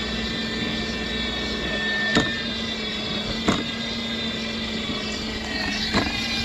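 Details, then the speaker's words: Dolphin S300i pool cleaner during self-test after cleaning and refitting impeller: steady motor hum with sharp single clicks at uneven gaps; suspected worn tracks skipping a tooth or belt problem, not confirmed; tightening made it go away. "i'm gonna try and try marking this i'm just curious to see if it's going to skip a tooth [Music] i think it's skipping i think that's what the problem is"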